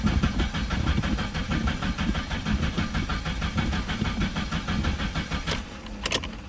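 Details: 1987 Chrysler LeBaron Town and Country Turbo salvage-auction car, first crank after cycling the fuel pump with the tank possibly near empty: fast, uneven cranking with ragged sputters, never settling into idle; fuel pump not delivering fuel.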